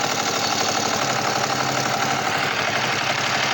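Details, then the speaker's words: Kawasaki Vulcan EN500, cold idle: light fast metallic clatter about four ticks a second; suspected valve noise, louder when hot, plus slow rev drop hinting at an air leak; before valve adjustment. "suena tracaleo ahí dentro no me gusta"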